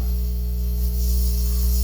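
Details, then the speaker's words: Pioneer SX-205 amplifier with distortion on the input, opened up and tested with speakers on DVD/CD source: a steady low hum with crackly static, a really bad sound. Aged conductive glue and dirt inside are suspected, not confirmed. "all right yeah here that's a really bad sound"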